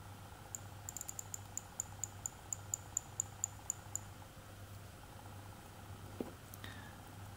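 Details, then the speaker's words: 1950s J.W. Benson watch with 16-jewel Smiths movement, restored by a watchmaker: crisp, evenly spaced little ticks about four a second as the crown is turned; distinctive Smiths winding click, normal. "it's a very distinctive sound when you turn the crown on a watch as a Smith's movement sounds like this"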